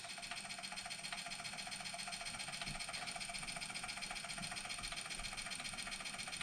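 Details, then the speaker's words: Sinclair Spectrum +2A built-in cassette tape drive running: fast, even mechanical ticking and whirring, about four per second, with a thin, high chatter. It works, but the tape mechanism sounds unhealthy and needs repair. "tape deck I think it's okay seems to work but yeah it doesn't sound well"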